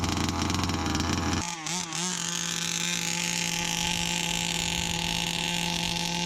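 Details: Brand-new Rofun Power 32cc two-stroke, run in the front yard: crisp, steady high-pitched buzz held at full throttle after a brief blip, clean and even, pulling hard; healthy.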